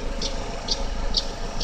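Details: GM Daewoo Lacetti, 1.5L E-TEC II F15D3 DOHC inline-four at cold idle: light, sharp ticks about twice a second, loudest between the exhaust cam pulley and the power steering pump. The tick disappears after 15–20 minutes of running; cause unknown.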